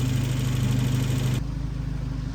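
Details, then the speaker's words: 1993 Volvo 245 turbo wagon after teardown and head gasket leak repair, coolant topped with distilled water. Deep, steady, even idle pulse with no knocks, misses or whine; the turbo four idles smoothly, back up and running. "anyway uh War wagon's back up and running"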